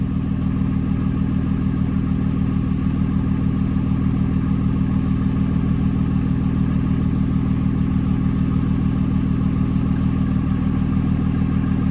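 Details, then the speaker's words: Early 2007 Ram 3500 5.9 Cummins, G56, 326,000 miles, cold start near freezing (31°F): deep, even clatter at 800 rpm low idle with exhaust brake closed, loading the engine so EGTs climb from about 300 degrees; running normally. "Yeah, so that's the exhaust brake closed now. Still at a low idle."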